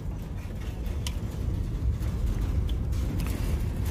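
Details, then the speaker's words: New Centurion D10 sliding gate motor during limit setup, after slow runs to both end stops, now running fast open and close. Low steady motor hum with even gear rumble and no knocks or grinding: normal operation. "Okay, so after going slowly to the first end stop and then to the second end stop, the gate has run fast and then it opens and closed."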